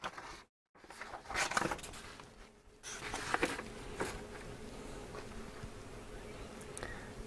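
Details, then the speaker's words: Roberts R707 radio after fitting refurbished replacement module, on FM with aerial: thin insect-like buzz steadily under handling clicks, no station received though FM worked days earlier; FM band buzz, cause unconfirmed. "fm just doesn't seem to be picking it up on that aerial and we did have FM okay the other day"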